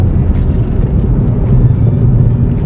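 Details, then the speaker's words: Perodua Myvi on test drive after fitting a fully stainless-steel air filter: low steady engine drone with no roar or surge pulling through gear shifts, smoother than with the previous fabric filter; even healthy run under load. "Tetapi selepas pakai filter stainless steel, fully stainless steel daripada jenama upgrade, engine tidak mengaum masa gear shifting."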